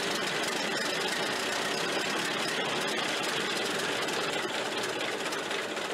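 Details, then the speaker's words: Ford Model A generator refitted after replacing the front bearing and brushes, charging a steady 15 A: the engine runs at an even pace with no squeal or whine, and the earlier bearing squeal is gone. "and the squealing noise is gone i haven't heard it yet so that's good"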